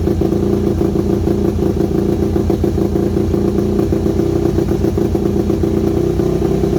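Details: Yamaha WR250 single-cylinder with good compression, just revived: uneven, stumbling idle beat over a steady clatter; carb needs rebuilding, owner unsure idle jet is fully unblocked, irregular idle.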